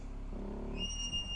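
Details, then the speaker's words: BMW E46 while driving: steady high-pitched squeal over low road rumble from a wheel bearing squeaking badly; wheel bearing squeak. "this wheel bearing is squeaking so bad"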